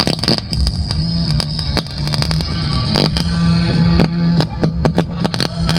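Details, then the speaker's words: Bluetooth speaker with its volume control refitted and battery socket re-soldered, playing FM radio: music comes out rough and hoarse with crackly breakup on louder peaks. The audio amplifier IC is faulty and gets removed. "Ang video na ito po yung ipaparinig natin sa may-ari na ganito yung tunog ng kanyang ampli or ng kanyang sound."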